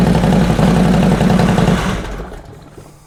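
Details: 2005 Harley Road Glide after new lifters and pushrods, pushrods adjusted a further half turn: runs with a fairly regular light tick about four a second, then fades at shutdown; quieter than before. Owner suspects a fouled front plug. Light valvetrain tick.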